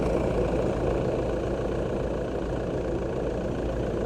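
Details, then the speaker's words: 2008 Toyota Land Cruiser diesel, first start after timing belt replacement: the engine settles into a steady, even idle with a smooth low rumble and no knocks or rattles. Normal idle. "so we're going to fire this up see what it sounds like and yeah it's always it sounds good"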